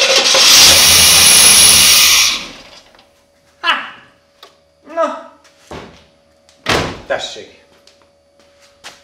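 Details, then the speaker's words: The non-starting KITT car with throttle body injection, with brake cleaner sprayed into both TBI throats. The engine briefly catches and runs, then dies back. It starts on external fuel, so injectors and fuel pump are judged OK and fuel delivery is suspected. "elindul hívom krisztiánt mondom neki hogy mi a helyzet külsőről indul az injektorok jók a benzinpumpa is jó"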